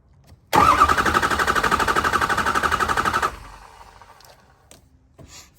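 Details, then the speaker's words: 2005 Ford F250 6.0L Powerstroke diesel that loses power on the highway, block heater plugged in for a couple of hours. Starter turns the engine without starting it at an even, unwavering four pulses a second. Uniform cranking suggests no lower-engine issue. "And what we want to listen to is just how the engine sounds, and we should have just a nice, even, continuous crank. If it cranks with kind of a waviness to it, then we could have a lower engine issue."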